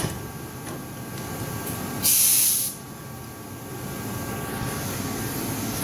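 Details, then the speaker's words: Compressed-air lawnmower/motorcycle lift lowered onto its engaged safety bar, valve dumped completely through a muffler: a sharp rush of air hiss under a second, then quiet, normal air dump valve exhaust. "right, as you can hear, that's the dump. That obviously it won't rage because of that, but I'm got a muffler on it."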